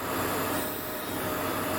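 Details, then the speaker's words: 2003 Jeep Grand Cherokee 4.7 idling after idle air control valve cleaned and refitted, valve suspected coming apart inside; soft even hiss of air drawn in, steady and unbroken, air bleed valve working normally. "that's that air bleed valve working like it's supposed to"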